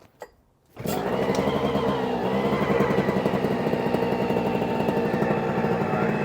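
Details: OpenPPG SP140 paramotor two-stroke on 40:1 premix, first start for break-in: the engine catches after a short crank and settles into a fast, steady idle with no misses or surging. Normal idle.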